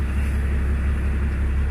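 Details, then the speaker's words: Range Rover P38 diesel after injection pump timing adjustments, air bubble seen: holds a steady low idle rumble with no rise in revs even at full throttle, still no power. "You can put the throttle to the floor and you get no increase in revs."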